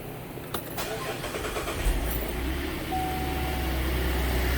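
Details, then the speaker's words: Chevy Traverse 3.6L start-up after water pump and belt replacement, battery charger connected: brief crank, then an even, steady idle with no knocks or squeals. Coolant level is now holding with no leak. "that seems good, or at least it sounded good. But we're going to take this thing for a ride and just make sure everything's okay."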